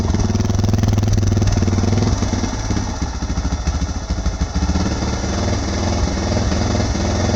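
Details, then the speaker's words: 2006 Suzuki DR650 single with FMF header, slip-on exhaust, drilled airbox and carb slide, idle screw turned fully in: thump at idle stumbles unevenly, beats bunching and dropping out; choppy idle, better than before. "It's a little choppy. It's been worse for sure. It doesn't seem as bad."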